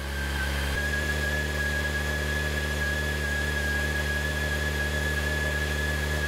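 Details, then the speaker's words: 2006 Honda CBR600 after fuel pump replacement, first start after the pump primes: a steady, even idle with a smooth low hum and no knocks or misses; it ticks over cleanly. "give it a go keep everything crossed hasn't gone bang hasn't made any stupid noises and it's ticking over"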